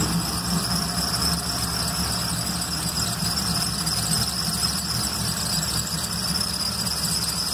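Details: SBC 350 V8 with loose distributor, just fired up after reinstalling the distributor and rewiring plugs, before timing is set: a steady high squeal holds over the running engine without changing pitch; source not yet found.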